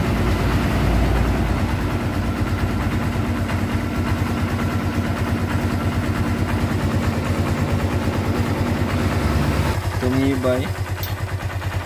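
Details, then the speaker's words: Kawasaki Barako 2 2024 motorcycle with about 8,400 km, tensioner replaced under warranty for a noisy top end, now reassembled: single-cylinder idling with a steady low even thump and no obvious top-end ticking. "ito na yung andar na buo na natin kaya an may mga Static feedback naman mga boss kapagka sa video pero pag sa actual to' matahimik ' mga boss"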